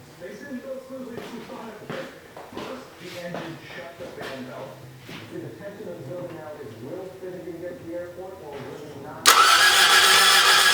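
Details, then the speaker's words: AE86 first start after stock engine swap with fresh oil, filter and spark plugs: slow, even cranking about nine seconds before catching loudly; owner suspects dry fuel rail and injectors needing to prime. "I'm not sure why it took so long to start probably because uh there was no fuel in the fuel rail and it had to Prime and everything so that's probably why it did"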